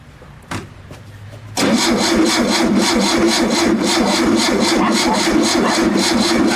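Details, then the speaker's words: VW Super Beetle air-cooled engine cranked with a trigger starter after reassembly: even chug, about four beats a second, but it never catches. There is no spark; the points are suspected dirty and removing them restored spark. "not sure where we're not getting Sparks so let's get in here and jerk these points off"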